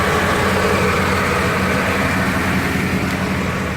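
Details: 1978 Cadillac Eldorado Biarritz with 14,000 miles, warm after about 20-22 minutes running and a test drive, temperature 193-194, slight front pan seal seepage: steady, even idle with smooth low beat, no knocks, misses or squeals; idling cleanly.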